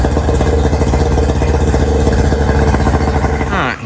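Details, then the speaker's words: 1999 DuraCraft 1648 bass boat outboard, sat at least six years, after removing dirt dauber nests under the cowl and refitting muffs: steady even drone with no misses or sputter before shutdown, running smoothly. "go ahead and put these mus back on fire up and see if she ain't running a little bit better"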